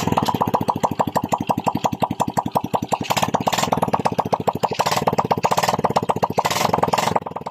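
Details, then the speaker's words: Honda XRM 110 after engine rebuild and new spark plug (old one carbon-fouled and grounded, wouldn't kick start), run without muffler: crisp, even firing at steady fast idle, no misses, no white smoke; block and cylinder head assembled correctly. "Mandar na siya. Kung naobserbahan nyo, walang puting usok na lumalabas sa bungangan ng kanyang cylinder head."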